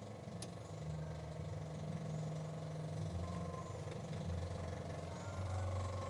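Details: Suzuki Multicab F6A carburetor 12-valve engine: uneven churning as it cranks long and struggles to catch, never settling to clean idle; base idle screw adjustment suggested as a possible fix for hard start.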